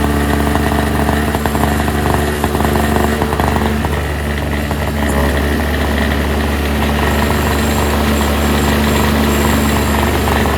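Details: NOMA 4.5 hp Tecumseh two-stroke 21-inch single-stage snowblower, just pull-started after its tar-clogged fuel filter was replaced, choke then full run: steady, even buzz at constant speed, no misses or surging. Runs great, normal.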